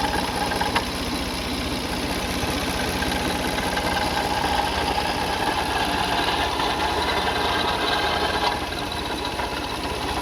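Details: Car engine at idle, no leaks seen on the cover; faint uneven knock and a thin whirring from the belt end; worn water pump bearing, timing belt kit and pulleys being checked.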